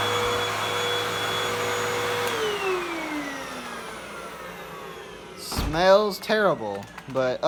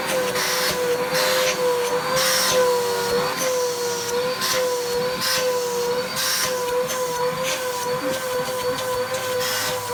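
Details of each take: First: 2012 Hoover Windtunnel 2 Rewind UH70820 upright vacuum, a salvaged find, tested on a first power-up: a steady high motor whine spins up, runs evenly and winds down smoothly. It sounds like a healthy motor, and the cord rewind also works. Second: Vacuum cleaner motor running after dust blew out of it. It gives a wavering, high whine with rough, gritty surges over and over; the motor sounds terrible and needs servicing.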